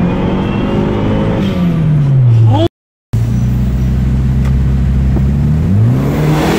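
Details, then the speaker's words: Turbocharged car after spark plug replacement (previously misfired above 3000 rpm): revs climb and fall smoothly, even tone, no stumble, continuous turbo whistle, faster; normal acceleration. "you can hear that the sound that it sounds a lot smoother you can hear a continuous whistle coming from the turbo and it's also a lot lot faster"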